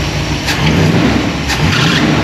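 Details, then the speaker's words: Holden HT with swapped 253 V8, not yet warm, revving: harsh squealing chirps over the rumble from a newly fitted drive belt lacking tension; slightly-off timing also suspected. "Oh. That's just a belt. Ah, okay. I put a new belt on, but I didn't know if he was tight enough. A bit more tension."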